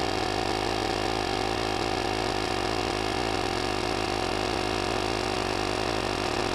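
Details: Cordless jump starter's built-in tire inflator airing up a flat car tire, set to 26 psi: constant buzzy whir from the small compressor holding the same pitch with no surging or knocking; running properly.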